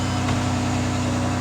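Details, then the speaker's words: 2009 Ford Escape 3.0 V6, first cold start after repair of bank 2 lean and cylinder 4 misfire codes (P0174, P0316): a steady, even idle hum with no stumble or misfire. "all right it started up it sounds good i don't hear any misfires"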